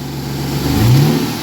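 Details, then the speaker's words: Car at salvage auction, not warmed up, small oil leaks: deep throaty revs rise and fall cleanly, no knocks or misses; suspected aftermarket cam. Normal revving. "she sounds good she sounds good i gotta hear that one more time sounds like somebody might have put a cam in it"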